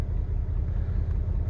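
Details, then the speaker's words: Dodge Nitro 4.0 with squeaky belt/pulley, valve train noise, weak battery and slow return to idle, before throttle body cleaning: deep rumble with uneven, lumpy pulse, stumbling misfire at idle; cause unconfirmed. "Ooh, now it's kind of missing. How about that?"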